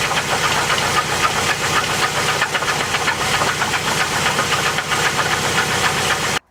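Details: 2008 Chevy Cobalt 2.2 L run out of oil, heard from underneath with a little throttle: uneven knocking, about four raps a second, over a rough-running engine; intermittent deep knock that comes and goes, source unconfirmed.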